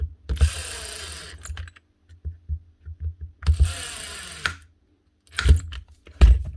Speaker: nice one nice one that's her one Makita DTD 154 brushless impactor with a new front gear casing and the old one the actual needle bearing built into it that holds the butt holder failed